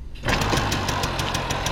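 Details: 1980 Benelli 3 V K Export moped, small two-stroke on 4% oil mix, started not very cold; catches at once and settles into a quick, even buzzing idle with no misses, slight smoke from cold condensation. Normal cold idle.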